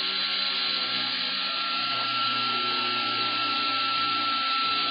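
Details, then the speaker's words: Dotco air belt sander 042710, rated about 12,000 rpm, running freely on a small compressor. A steady, high, airy hiss with a thin constant whine and no knocks or surging: normal, quiet running. "i'd be hard-pressed to say how many rpm that is i don't know but that's pretty quick"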